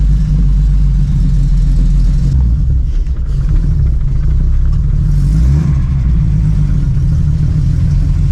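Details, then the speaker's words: TVR 2500M with Triumph TR6 2.5L inline-six, twin Stromberg carburetors, stainless manifold and exhaust, after transmission seal replacement, slightly cold: deep steady rumble with a short rev blip, even with no knocks or rattles, healthy. "Le bruit est assez sympa. Donc sachant qu'il y a une ligne inox, un collecteur inox qui produit un son qui est assez intéressant."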